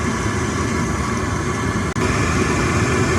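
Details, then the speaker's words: 2 kW Chinese diesel heater on diesel, fan kicked up, noticeably noisy: steady, even roar from fan and burner with no surging, knocking or rattles; normal running at full power. "Oh, it is noisy, but what the hell?"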